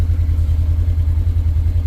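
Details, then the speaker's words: Used Polaris RZR side-by-side on a test run shifting gears, including reverse and high/low: steady low engine rumble with no grinding or crunching from the gearbox; smooth gear engagement. "make sure not get any kind of grinding kind of going in the gears without too much mus or fuss it's a good sign this one's pretty smooth"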